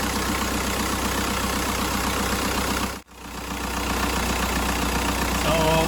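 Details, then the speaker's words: Audi diesel just after its first cold start of the day: uneven, clattery idle at about four pulses a second, running rough as it settles; it habitually misfires when cold, and injector correction readings show cylinder 4 high. "I didn't start this car today yet, so when we start all the time, we have a misfire when it's cold."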